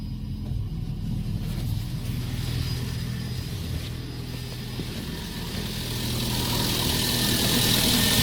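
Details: VAZ 2114 1.6 8-valve 11183 engine: steady, even idle with a gentle rev rise near the end and no knocking. The engine had knocked when hot by 20,000 km, and the CCCD pistons were replaced with E pistons; it sounds healthy.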